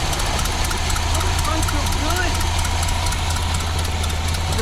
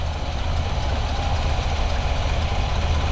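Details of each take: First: 1986 square-body truck parked nearly 20 years, first run after plumbing the fuel return line and plugging vacuum: steady low engine drone holding even without surging or dying over ten seconds; normal idle, fuel getting through. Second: Square-body V8 parked nearly 20 years: it cranks at about four pulses a second but never catches, with no fuel coming up. The fuel pump may be on the wrong hose.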